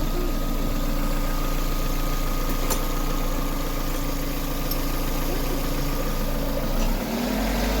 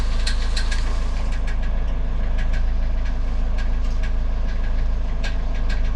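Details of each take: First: Car engine with a knock after a gearbox/CVT replacement, fixed by adding two washers under the starter because the plate between gearbox and engine had been left out: a steady, even idle with no knock, picking up cleanly on throttle; normal idle. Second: Car with about 200,000 km, knock appearing after gearbox/variator replacement: light metallic tapping about three a second over a steady idle. It is not the crankshaft; flywheel teeth are suspected of catching on a loose bit of sheet metal.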